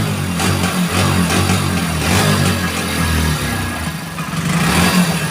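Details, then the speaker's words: 2021 Hero Splendor BS6 fuel-injected bike with check engine light on, kick-started: revs rise then sag and stumble when throttle opens, nearly dying, misfire and bog on throttle. "जैसे ही bike का throttle लेते हैं तो एकदम बंद होने जैसे जैसे घुट घुट की बाइक चलती है और पेट्रोल नहीं मिलता है बाइक को या फिर करंट मिसिंग है इस प्रकार की इसमें प्रॉब्लम है"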